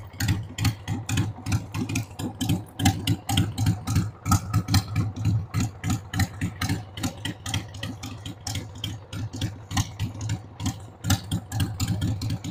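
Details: 1993 Harley-Davidson Sportster 883 Evo V-twin, sat about 15 years, started on starting fluid with a dead battery: lumpy, uneven idle with loosely timed thumps about three a second and no steady beat; rough idle, owner says the carb needs cleaning.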